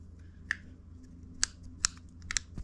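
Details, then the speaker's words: Refrigerator compressor start relay removed and shaken gives a handful of loose, sharp clicks about one every half second; rattle means the relay is bad. "there it sounds bad so when i when i sound it when i shake it there we go it's giving a it's giving a sound that means it's bad"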